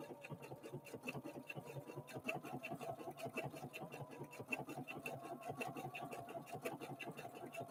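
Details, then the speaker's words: Husqvarna Viking Opal 650 sewing machine (Swedish design, Chinese made) sewing block-letter alphabet lettering; steady quick even needle ticking over a solid quiet hum, not clanky, tinny or plasticky, no rattle: healthy machine running normally. "and as you listen to this machine notice that it's not clanky it doesn't sound tinny it doesn't sound plasticky whatever plastic he sounds like it's just a quality solid machine it really is"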